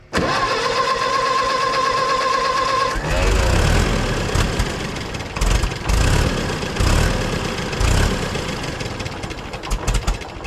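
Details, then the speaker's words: Co-op E3 tractor (about 1947) after years of sitting, started with starting fluid: cranks then runs lumpy and wavering, chuffing, no steady idle; poor carburetor, needs carburetor work. "that's something you got a runner we got a runner okay I just need some carburetor work"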